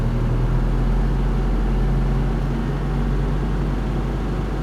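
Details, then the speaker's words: Toyota Paseo after engine overhaul, A/C on: smooth, even low rumble at a steady raised idle around 1500–1600 rpm with no throttle input; idle-up working normally. "Yeah, see the idle dropped significantly once the air was cut off."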